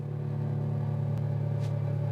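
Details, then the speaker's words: Dumble Overdrive Special #124 build amp, working again after debugging but relays not engaging, output dumping onto preamp boost; constant low mains-type hum with a buzzy, slightly distorted edge, cause not yet known. "But can you hear the kind of distorted sound? It's a little buzzy."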